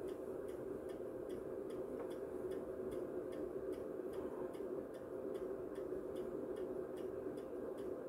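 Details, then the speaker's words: MW Power MW-SC6B battery charger on a 12V AGM battery, current seemingly too high: quiet crisp ticks close to three a second over a faint hum as the charger pulses current into the battery. "ale tutaj mamy o coś zaczyna to to już hałasuje"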